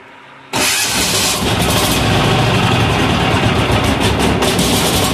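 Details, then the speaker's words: Amazon 186FA diesel, still cold and smoking: fires up loud and clatters with an irregular, stumbling beat from air pockets in the fuel line. "more air pockets okay let me get past this and I will uh we'll come back definitely definitely got some air pockets in the line"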